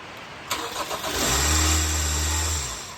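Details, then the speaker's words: 2011 Hyundai Sonata 2.4 GDI after starter replacement and coolant top-off: short crank, then engine catches and settles into a smooth, even idle; normal start, started three times to check the new starter. "crank that was me starting and stopping it three times just to check it cuz I'm checking the starter with it running"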